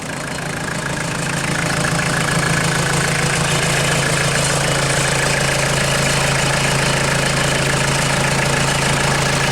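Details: 1996 Mitsubishi Delica L400, 2.8L 4M40 diesel, first start after head gasket replacement: steady diesel clatter at an even idle with a constant low hum and no misses or knocks. The engine idles smoothly.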